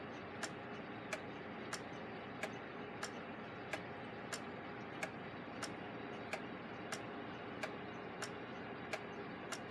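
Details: Gilbert long-drop octagon clock after rebuild, hung on the wall with the beat adjusted: crisp, evenly spaced ticks at a steady pace over a quiet background; the escapement is in beat and running normally.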